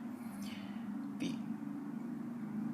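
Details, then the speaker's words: Harley Sportster 1200C at key-on in no-start troubleshooting: quiet steady hum with brief chirps as fuel pump primes, showing power, though no neutral light and engine won't start; neutral sensor switch suspected. "pump for the gas turned over so that means i have power"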